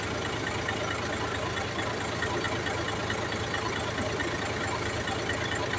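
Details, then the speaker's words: Hard-starting engine troubleshooting: with camshaft sensor unplugged the engine keeps a steady even idle without stalling, though it was expected to die from lost timing; sensor seemingly ignored, cause suspected. "Dapat naman ito pag tinanggal mo yan mamamatay din yan dahil mawawala sa timing eh."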